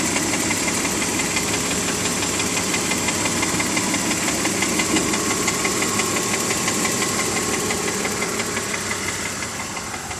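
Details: BMW E46 325Ci with M54 six-cylinder, warm, ticking only at idle at the front of the engine: fast, fairly even light tick about three per second over the hum; source not identified.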